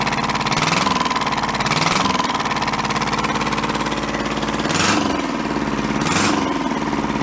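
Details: Junked small Kubota diesel engine saved from a scrapyard, clamped to bars, fired up after swapping the throttle and shut-off wires: chugs evenly with slight speed rise and fall, no knocks or misses; oil pressure good, sounds healthy.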